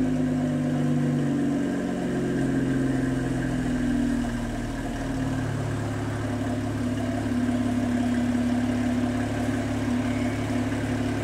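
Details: BMW N54 turbo petrol engine, cold start: uneven wavering idle with smoking exhaust, codes 2AAF, 29F2, 29DC; low fuel pressure from a bad high pressure fuel pump, resolved by replacing the pump.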